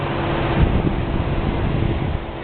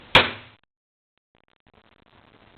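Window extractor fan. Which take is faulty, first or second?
second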